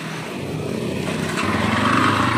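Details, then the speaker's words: 2005 Yamaha Scorpio motorcycle engine before teardown: uneven running with faint rough knocking under the exhaust note as it picks up; worn connecting rod and piston predicted, and disassembly showed the piston scratched, the rear too. "masih Suaranya kayak gini nah ini diprediksi yang kena itu stang sehernya dan sehernya pastinya"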